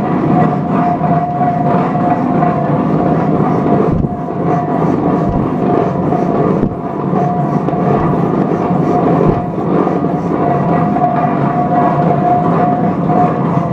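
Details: 1917 Minneapolis 40-80 tractor engine first rolling over after rebuild: steady, even drone with constant hum, no knocks or misses; running smoothly.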